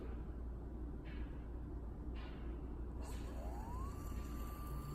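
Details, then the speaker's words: Livox Mid-40 lidar unit just plugged into power: over a low hum, a clean motor tone climbs smoothly for about half a second, then holds level, a normal spin-up. "So the unit just started it up."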